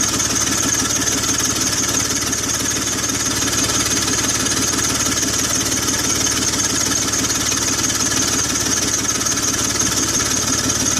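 Rapid, sharp puffing tick rides over the idle and quickens with the revs, typical of an exhaust leak near the manifold.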